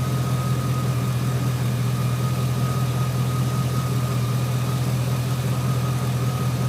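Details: 2003 GMC Sierra SLE, 4.8L V8, idling after fitting a used remanufactured 105 A junkyard alternator; smooth, even rumble with a faint constant front whine, no knocks or misses; 13.2 V at battery, 14.2 V at alternator; normal idle.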